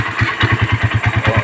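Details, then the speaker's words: Suzuki Satria FU150 with a Keihin PE28 carburetor, after the carburetor was reinstalled: crisp, even single-cylinder thump of about eight beats a second with no misses, idling cleanly. "normal ang tren."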